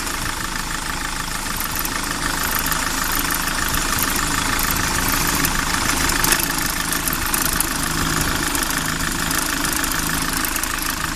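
Steady idle with a rapid, fairly even ticking knock, roughly three per second, riding over the engine; extraneous noise, cause unclear.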